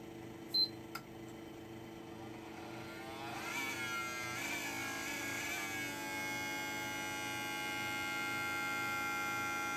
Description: Ps4 makes grinding noise when started up